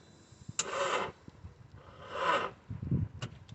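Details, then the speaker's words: Audi TT with a no-start: two short, sluggish whirring bursts as the starter barely turns the engine, with no catch. The battery is flat at 11 volts and the alternator is not charging, though no battery warning light shows. "so it's trying to turn but very very slowly we're putting our booster pack on running"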